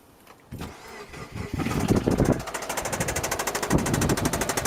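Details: 2008 MY09 Subaru Forester engine at idle: catches then hard, even rod knock several times a second; big end bearing failure, engine replacement considered.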